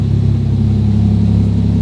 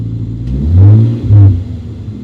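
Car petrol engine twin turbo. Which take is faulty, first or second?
second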